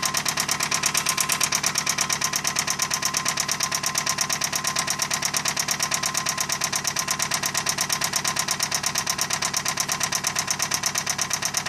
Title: Update 8 toyota camry rod knock